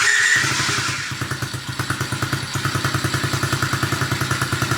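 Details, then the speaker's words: Tao Tao 110cc automatic electric-start dirt bike, cold start, first start of the day: short starter whir, then it catches easily and settles into an even, steady thump at about three and a half beats a second; normal cold start. "Not too bad. Very easily to start. That was a cold start too. We haven't started it today."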